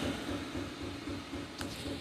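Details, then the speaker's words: Diesel heater recently installed in a workshop, its fuel pump knocking in the background: soft, even tick about four times a second in a quiet room, normal metering. "If you hear a knocking noise in the background, that is my recently installed diesel heater."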